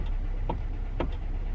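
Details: Kia/Hyundai steering column (e.g. 2011-2014 Hyundai Sonata, Kia Optima): three sharp, evenly spaced clicks, about two a second, over a low hum as the wheel is turned. Cause is a worn flexible steering coupler whose rubber bushing wears out over time.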